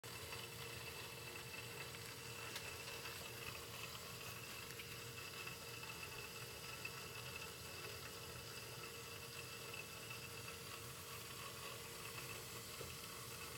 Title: Why is my Taco 007-F5 making this sound? Is it normal?